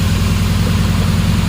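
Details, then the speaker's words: 2007 Dodge Ram 4.7L V8 with P0507 high-idle code, cold, throttle position at 0%, so a leak is suspected, possibly behind the engine at the PCV valve or tube: steady fast idle, smooth low rumble, no misfire. "Obviously something's leaking if it's idling h"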